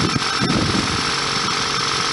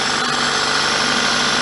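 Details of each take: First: 1999 Toyota Celica ZZT231, engine reportedly warm, holding a fast steady idle with background hiss after cold air intake holes were sealed and pod filter changed; idle too high, owner wants 800–1000 rpm and suspects MAF sensor. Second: 1999 Toyota Celica ZZT231 idling just after battery reconnection, following sealing of holes in the cold air intake with two layers of glue (not fully dry); steady even idle, only faint airy hiss, no leak noise, sounds healthy.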